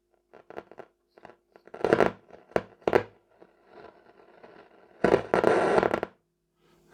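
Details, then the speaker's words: Telefunken Opus 8 tube radio powered up slowly at about 200 V, drawing 250 mA before any repair: uneven scratchy crackles and sudden noisy bursts with no steady program, caused by very dirty band switches. "doesn't sound good does it still only drawing 250 milliamps so giving this the these switches are dirty [Music] the volume down these switches are really really bad"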